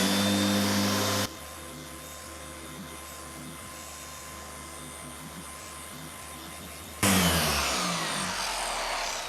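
Even motor hum holds steady without wobble or shrill whine, with no knocking or rattling; the polisher sounds balanced and healthy.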